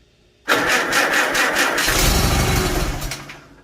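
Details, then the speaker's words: Farmall Super A tractor, second start attempt after magneto rebuild and ignition timing reset, choke and throttle adjusted: catches quickly into a steady, even beat with crisp exhaust pulses; healthy running, timing now believed correct. "Ooh, she sounds nice. A bit more throttle. Let's give it a little choke. Alright, that sounds much better. I think I got the timing right this time."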